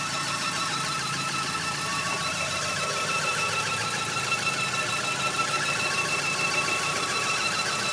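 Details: Audi 80 4-cylinder engine running: fast, fairly loose chattering tick, about three per second over a light whirr; noise sometimes goes away but lately constant, source unknown.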